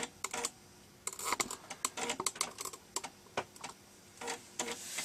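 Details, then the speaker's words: Amiga 500 Plus floppy drive after repair, loading a disk after power cycle: quick irregular clicks and short buzzy head-seek bursts, no grinding or repeated knocking; drive reading normally, though some problems remain. "And it seems to be loading. Let's see whether the Cracktro will load. We can hear that. So yeah, we seem to have got that disk drive working again."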